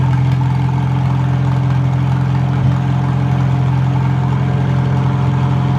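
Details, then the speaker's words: Old tractor engine rested 15 years, running after its points were filed: steady, even, low chug with a regular beat and no missing or knocking; normal running. "sounds pretty darn good i'm going to shut it off and let it at"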